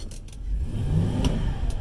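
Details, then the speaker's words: Transmission after adding an instant shudder-fix additive: in reverse the engine revs climb sharply under throttle with no load and the vehicle doesn't move; slipping transmission, additive didn't fix it instantly. "now see I'm going in reverse and it's not moving"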